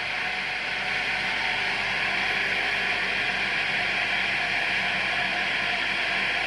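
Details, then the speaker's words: 12V DC electric car AC compressor started on a 50 amp setting, current climbing 40 then 50 amps; steady loud hiss and whir, strained even drone, compressor labouring under high current draw beyond what the supply can regulate. "You can hear a boost of power as the compressor is coming in. You can see it's going 40 amps, 50 amps. It's trying to regulate, but the consumption is just too high."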